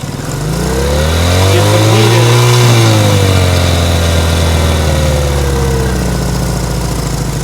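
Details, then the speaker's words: Cold 1970 Honda CL100 single, about 11,000 miles, freshly freed from seizure, on partial choke and a little smoky: revs up and sags with throttle blips, uneven beat, barely hanging on; owner suspects an air leak. "it I need a little bit is that it it's we're a little Smokey here oh but that's to be expected"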